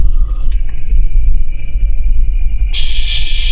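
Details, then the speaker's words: Ford Explorer on a lift, electronic chassis ear sensors on the driveline. A steady high whine under load that comes on and off with the throttle, traced to the rear differential. The rear differential will need replacing soon. "you can really hear it once it gets under load front diff rear diff front if you can him on and off the throttle it makes that whine and I can hear it through the tool"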